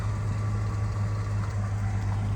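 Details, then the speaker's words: 1966 Chevy C10 Stepside pickup idling in neutral, heard from around the back: deep, steady low rumble with an even beat, no knocks or ticks; no strange sounds, no smoke, healthy idle. "As we go around the back, she's running. You'll notice no strange sounds, no smoke."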